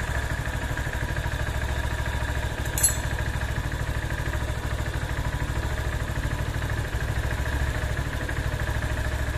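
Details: Honda CB190R single idling after adding 20W-50 full synthetic plus Lucas oil stabilizer: quick, steady putter with even pulses and no knocking or clatter; a healthy idle.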